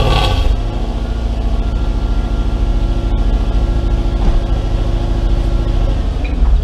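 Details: Mercedes W203 C230 Kompressor coupe with swapped Lexus 3UZ-FE V8, after new exhaust installed: deep, even V8 burble holding steady, no drone or rattle; healthy exhaust.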